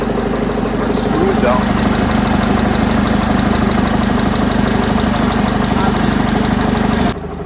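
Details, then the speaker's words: Yale forklift propane Continental flathead four, possibly about 1971, after correcting a wrong firing order: fires up and settles into an even steady idle about three beats a second, no misses or knocks; normal. "So, had the firing order wrong. Once you had it Once I got it right, started right up."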